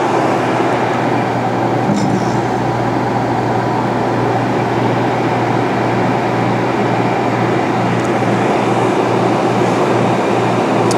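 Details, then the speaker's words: Santa Fe Classic dehumidifier (same test for Elite, Ultra-Aire 100V, Hi-E Dry 100), blower running, control knob turned fully clockwise to on, mic close to the lower-right compressor: a steady, even low hum with mains drone and no knocks. Normal compressor run. "we've got a good hum there. The compressor's on now."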